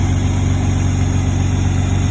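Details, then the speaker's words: 2006 Hyundai Tiburon 2.7 V6 that had a worsening tick, suspected lifter: with the serpentine belt removed it fires up and idles steadily with a smooth low rumble and no tick at all. "my car hopefully will start since i took the serpentine belt off it it makes makes no noise fires right up now [Music] zero noise not even a slight dick"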